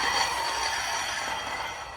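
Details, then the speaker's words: 2013 Vauxhall Insignia, grinding front brakes: harsh metallic scraping ring at steady high pitch, fading as wheel slows; pads nearly worn, discs with big lip on inner and outer edges, before pad and disc replacement. "And obviously that noise is terrible when you're driving down the road and you put your foot on the brake."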